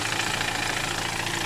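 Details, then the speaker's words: Engine idling with AC on after a new AC compressor, vacuum and refrigerant refill to about 200 pressure: steady even hum, quiet with no clacking; the old weak compressor clacked loudly and could not cool in daytime sun. "ตอนนี้เติมน้ำยาแอร์เข้าไปก็คอมแอร์เงียบนะครับเสียงเงียบมากเลยแรงดันก็โอเคครับ"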